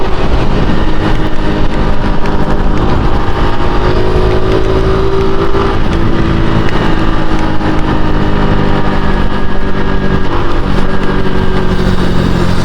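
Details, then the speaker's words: 2022 Honda Pop 110i riding at low speed: buzzy rattle from the front end, possibly wheel/rim, riding on engine vibration and absent at higher speed; source unconfirmed, owner unsure where it comes from. "ó quando está em velocidade mais alta ela não faz é só quando tem a vibração do motor velho quando tem a liberação do motor ela faz o barulho"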